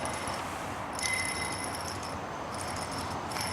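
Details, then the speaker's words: Hand-spun idler pulley with the belt off gives a rough, gritty whir with thin metallic ringing from a worn bearing, the cause of an engine growl that changed with rpm; new pulley silenced it. "Customer's concern on this one is a growling noise from the engine that changes with engine speed."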